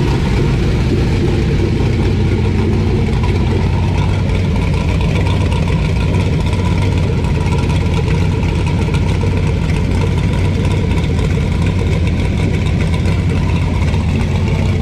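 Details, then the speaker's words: LQ9 V8 on a run stand with Texas Speed Magic Stick 4 cam, Holley Terminator X base tune, single-chamber Flowmaster mufflers, first start: loud, lumpy but steady idle, no ticking or knocking; valvetrain sounds good, running a little rich, still needs tuning. "uh it's idling it sounds really really good uh we let it run uh a while um while i was fine-tuning all this the valve train sounds good"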